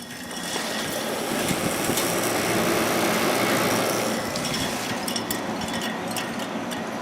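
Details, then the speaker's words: 1980s Kenmore (Whirlpool-made) 8000 BTU window air conditioner, 8 A, paddle fan, first start: soft even airy rush with low steady hum, no rattles; surprisingly quiet, though airflow weak and unit dirty. "quiet actually I'm surprised really surprised"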